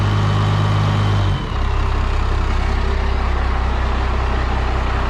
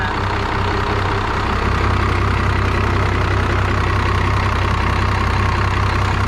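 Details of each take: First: 5.9L Cummins diesel from an abandoned Dodge, running on old fuel: deep steady diesel clatter with a faint rising whistle over it; the turbo spools up smoothly and sounds healthy. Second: 5.9L Cummins diesel from an abandoned Dodge: loud clatter at about four beats a second, fairly even but slightly lumpy; rough idle, owner suspects old fuel is keeping it from running smoother.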